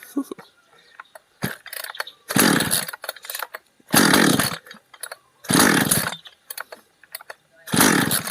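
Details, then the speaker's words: Chainsaw left unused for over a year and not starting; compression good, tank half full. It catches in rough bursts, coughs and dies. Owner suspects the ignition or spark plug first, then the carburettor. "เหมือนจามครับปิดออกไปเลยเดี๋ยวลองดูระบบไฟก่อนครับแล้วค่อยดูคาบูอีกทีเหมือนมันจามครับติดแล้วจามโอเคโอเคติดแล้วมันจามครับเดี๋ยวลองเช็คหัวเทียนดูเราจะลองเปลี่ยนขเทียนดูก่อนนะครับ"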